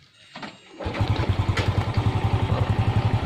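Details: Honda XRM125: a few weak cranking puffs, then the single cylinder catches and settles into an uneven thump about four times a second; hard starting.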